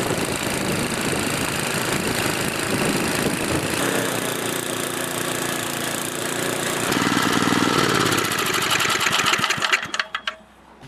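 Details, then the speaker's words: Older Murray/Noma snowblower single-cylinder engine after replacing the severed secondary auger cable: steady, even running with no knocks or misses, then winds down; blowing snow properly. "so as you can see it blows no good I know that that's all that was wrong with it obviously the cable was severed and needed to be replaced"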